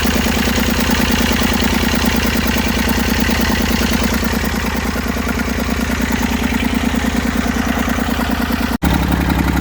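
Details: Massey Ferguson 35 three-cylinder diesel, seized 20+ years in the woods, tow-started in third gear high after the starter failed; it fired after about 300 yards of building compression and heat. Steady, even chuff at idle with no misses, then a brief dropout: normal running.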